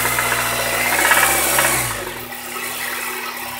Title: Honda civic type r engine knocking